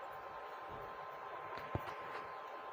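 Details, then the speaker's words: Sound Standard CA20 amplifier after repair, channels 1 and 2 volume up: only a faint even hiss with no crackle, hum or buzz; the amplifier now runs quiet and normal. "और व जो आ जाता था व जो एक आवाज निकल रहा था वह अभी नहीं है वह एकदम ठीक हो गया है"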